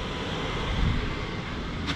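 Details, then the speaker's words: 2023 Flagstaff Classic 832IKRL furnace with heat turned on: steady even rush of air with low rumble, no rattles or scraping. Normal furnace blower operation. "If I go through the same system, turn on the heat, when the heat kicks on, you'll notice that when I shut that off, it does take a few minutes for that fan to cycle through. I need to turn it. There it goes. You hear that blasting."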